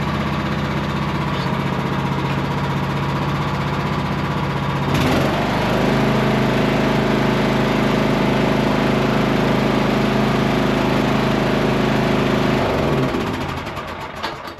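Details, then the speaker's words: Cub Cadet lawn tractor single-cylinder engine after new starter fitted: slow to kick over, loud backfire and black smoke, then settles into steady even thump at higher speed; running smoothly, owner suspected fuel or spark issue. "All right, it ran. I am so happy, so excited. It took a little while to kick over. Starting to get a little nervous thinking it wasn't going to start."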